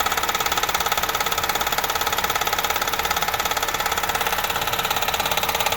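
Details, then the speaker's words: 2007-11 Honda Civic with swapped JDM 1.8L R18 engine, found missing motor mount and brackets, water-soaked and rusting, water later found inside at oil change: even, sharp knock about three to four per second over idle, constant internal engine knock. "Get it to my house, turn it on. Knock, knock, knock, knock."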